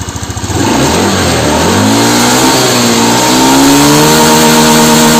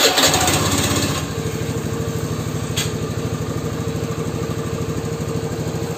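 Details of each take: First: Honda Beat FI scooter with no top-end power: revs rise quickly then the pitch flattens near full throttle instead of climbing; low and mid rpm fine, idle slightly stumbling. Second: Honda Beat FI scooter after fixing top-end power loss by fitting a hose spacer at the throttle stop instead of replacing the TPS: a quick start that catches cleanly into a steady, even idle pulse with no stumble.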